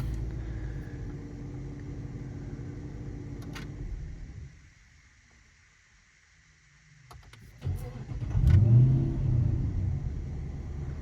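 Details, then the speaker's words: Dodge Charger R/T 5.7 AWD with 3.0 Whipple supercharger, hot at 190°F coolant after driving: engine shut off, cranks briefly and fires at once into steady idle; normal hot start. "Fires right up. No questions asked."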